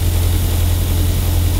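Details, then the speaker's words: Renault Twingo 1 phase 2, bought broken with a reported turbo problem. Smooth, even low rumble with a steady beat and no knocks or misses. Normal idle. "Oh mec, une horloge une horloge parfait."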